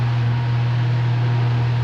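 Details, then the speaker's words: Electric fan on 220 V after the faulty capacitor was replaced: a smooth, steady low hum with an even tone and no rattle or buzz, starting with more force at speed 1; a normal running motor. "capacitou dois microfones botamos um novo barulho saiu ficou filé velocidade um ó a força 3 e o barulho saiu com a troca do capacitor"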